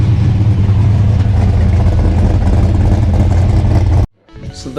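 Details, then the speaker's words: 94 car running: deep, even rumble with no knocks or misses until shut off; normal running, charging plenty. "pretty normally there's also plenty of charging it is at the M I think before it was a little higher but worried about it sounds good still"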